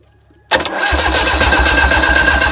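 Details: Isuzu 4BA1 85 hp diesel coupled directly to a 5-inch single-impeller pump irrigating a durian orchard, pushing water about 800 m uphill. A short crank, it catches at once and settles into an even, steady chug with no knocks: a normal start-up.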